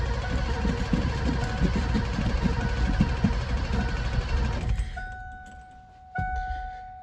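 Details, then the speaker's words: 1988 Ford F-250 EFI, sat over a decade, fresh 5 gallons of fuel, fuel pump heard running, oil pressure present: starter churns unevenly about three pulses a second for nearly five seconds without catching; crank no-start, bad fuel plugging injectors suspected. "Might be bad fuel plugging up the injector. Injectors, more likely."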